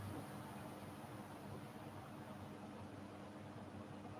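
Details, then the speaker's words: Simpson Esprit 550 washer (serviced after a minor spin fault), timer on extra spin increment before warm spray rinse: soft even whir steady at spin speed, no knocking or scraping; normal spin cycle. "And this is that extra increment I was talking about, so more spin."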